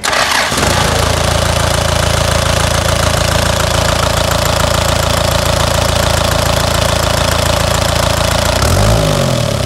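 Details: Toyota Bandeirante with the 14B diesel: it catches within half a second, then settles into a steady, even clatter at a low, unchanging idle. A normal diesel idle.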